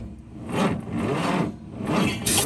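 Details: 1951 Studebaker, freshly freed from being stuck, cranked with the throttle open: slow swelling cranking pulses, about three in under three seconds, and it never catches; cranks but won't start.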